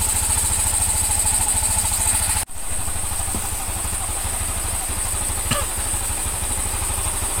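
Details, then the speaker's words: Honda Scoopy (Genio engine) after crankshaft bearing and conrod replacement, valve seals and valve lapping: steady, even putter at idle with no knocking or rattle; engine now smooth, normal idle. "Alus kaya perawan. Alus toh munine kaya perawan alus."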